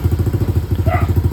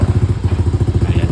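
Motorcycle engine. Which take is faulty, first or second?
second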